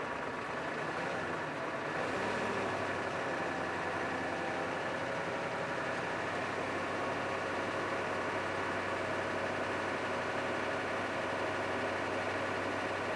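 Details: 1987 Ford F350 6.9 IDI diesel auction truck that turned over but wouldn't run, after purging air from the fuel system: steady even diesel idle with smooth unchanging clatter, no misses; normal idle.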